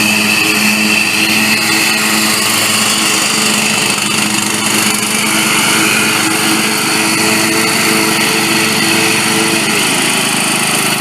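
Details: Bolens riding lawn mower that would not start, after replacing the bad starter solenoid: small engine runs at a steady, even pace with bright high buzz, no misses or knocks; healthy running.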